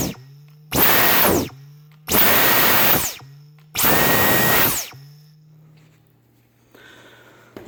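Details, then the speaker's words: Brand-new Dyson V10 Cyclone Absolute stick vacuum, power head: three short full-speed bursts, each falling away as the motor spins down after trigger release, with a faint ringing twang on coast-down. Owner suspects a filter-area or rubber resonance from new materials; suction fine. "just a little boying noise something sounds like something the filter area or maybe rubber is adjust new packaging new materials has just gotta wear in or something"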